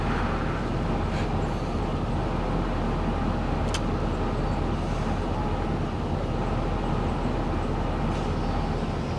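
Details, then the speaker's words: 2004 GMC Savana 3500 6.0-litre with 237,000 miles, towed in as a no-crank and now running: a steady, even, smooth low idle with no knocks or misses. It runs fairly well, with code P0449 vent solenoid circuit showing. "doesn't run too bad for a 6-litre with two hundred and thirty seven thousand miles on it as far as it runs at all actually"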